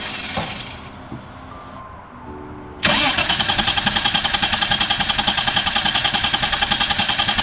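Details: VL engine cranked after a distributor rebuild, with a timing light attached. Steady starter churn at about three to four beats a second runs for seconds without catching: a long crank and hard start.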